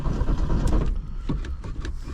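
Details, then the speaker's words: 1972 Ford Pinto with a new fuel pump, cranking to draw fuel up to the carburetor: uneven starter cranking without catching, and no start until fuel arrives. It then fires and smokes a little. "Pump It Up got to get gas up to the carburetor it says it's got a little bit of fuel in it come on fuel pump it's got a new fuel pump on"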